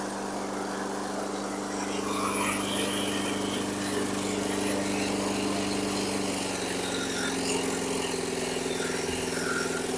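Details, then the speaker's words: 1995 Tough Block 5hp self-propelled lawn mower (AYP RBSP225QA): engine running steadily with an irregular metallic clatter when the blade engages. Sounds like the blade is striking the deck or something. "it did engage but you heard all that clatter it look it sounds like the blades hitting something that sounded pretty bad"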